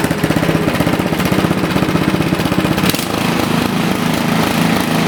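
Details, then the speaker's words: Toro four-stroke snowblower that ran rough and surged from a too-lean carburetor, after adjusting the carburetor screw: a single-cylinder engine chugging at an even pace with no rise and fall; surging gone, running normally. "So, that did the trick, guys. It's that simple."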